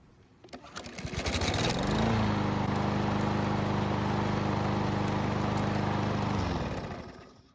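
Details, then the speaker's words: Repaired barn lawnmower, hot after several minutes' running, restarted: catches after a brief pull, settles at once into a steady even drone, then shuts off cleanly; normal hot restart. "And as you just saw, it started right back up with no problems, which is great news."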